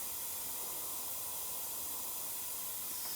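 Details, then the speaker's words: BMW N55 boost leak test, system pressurized with engine off: steady high-pitched hiss of air escaping at an intake pipe connection, clamp tightened fully; owner suspects the T-bolt clamps, which leaked around 14 psi. "it's also leaking on this connection I have I put my hands is anything I could feel the air coming out I have it as tight as I can"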